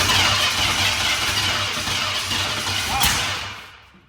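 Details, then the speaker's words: 1989 Ford F150 with 302 V8, parked for years, cranks with steady pulsing rhythm and loud hiss but never catches, briefly fired then quit, winds down; cranks but will not start, very ticky engine. "That's weird. Wonder why it's like trying to run but not running."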